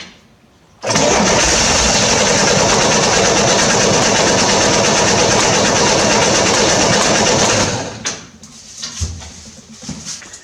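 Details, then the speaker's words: 1968 Corvair being revived with a newly installed mechanical fuel pump: steady cranking with a brief attempt to fire, trying even after the primed fuel is used up, then dies without catching; a leaking fuel line is found. "Sounds like it's trying, even after that fuel is expended."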